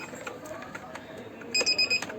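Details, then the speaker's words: Kent RO Grand Plus water purifier beeping on start-up despite good filters: four short, evenly spaced high-pitched beeps, the one-year service reminder, cleared by pressing the reset button on the main circuit board. "ये कुछ दिनों से आवाज़ कर रहा है जब भी स्टार्ट करने से। जैसे ही ऑन करने से इसका अलर्ट ऑन हो जाता है, आप देख सकते हैं। देखिए यहाँ पे ये अलार्म का साउंड स्टार्ट होता है।"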